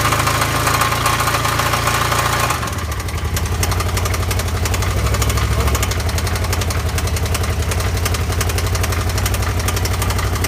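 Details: Can-Am Spyder engine idling with a loud, steady knock of about four beats per second over a low rumble; cause unknown.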